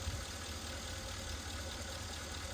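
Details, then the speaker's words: Rough idle with spit-back through the carburetor on a 1961 Mercury Meteor, 37,000 miles, parked 43 years, running on used spark plugs: uneven, lumpy idle with irregular thumps and sputters. A valve is believed not to be closing. "It does have a valve not closing. I can hear it spitting back through the carburetor."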